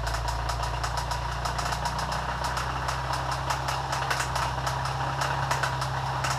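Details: Subaru Forester being deliberately run to destruction, at idle: sharp irregular ticking knocks several times a second through the engine hum; bottom-end knock, cause unknown.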